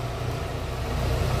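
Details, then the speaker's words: VW Fox after repair of steering-turn creak caused by ball joint with torn boot: only steady low idle hum while the wheel is turned, no creak or clunk; noise eliminated, though steering box has play and a leak. "Aí, pessoal, pedi pro colega fazer aqui, ó. Não tem mais barulho."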